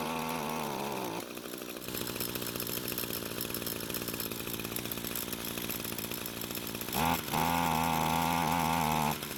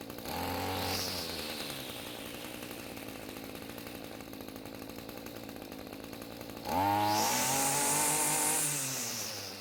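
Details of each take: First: Echo string trimmer long unused, possibly stored in a barn, running with choke at half; engine buzzes, sags and recovers without settling, half choke didn't help. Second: Echo string trimmer after turning the carb fuel adjustment screw half a turn counterclockwise (it had bogged and died on quick throttle): idles steadily, then picks up cleanly to a smooth full-throttle scream with no bogging; the two-stroke is running right.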